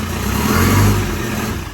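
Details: Land Rover Defender diesel first start after fitting new RTX starter motor, following gearbox, transfer box and clutch replacement: diesel clatter at idle rises smoothly with a quick blip and falls back, no knocks or grinding; healthy idle and revving.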